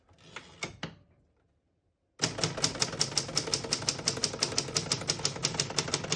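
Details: 1964 Adler J4 vintage portable typewriter with all functions working. Crisp keystrokes at about three per second with clean, even clacks and a bright ring; normal typing.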